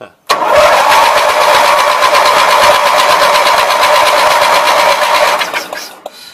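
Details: Roper Rally 18 HP twin Briggs riding mower. Starter spins the twin unevenly at about three beats a second without catching. Cleaned plug still didn't fire; a borrowed push-mower plug gave spark on both, so the magneto is okay.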